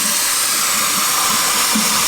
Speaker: there's still no hot water but there sure is cold there's going to be a lot of air in